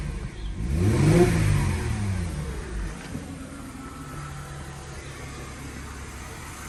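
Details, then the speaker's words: Mercedes W204 after belt tensioner replacement: rev climbs and falls to calm idle with no chirp or squeal, belt drive quiet so far; belt no longer at pulley edge; owner will confirm after driving. "в общем что сказать пока тихо поездит потом вам расскажу кому интересно"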